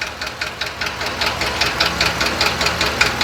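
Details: 2020 Ford F53/F59 motorhome chassis, 7.3 V8 petrol, P0301 cylinder 1 misfire: sharp regular ticking knock at idle that started suddenly while driving, heard at cylinder 1; valvetrain fault at one intake valve.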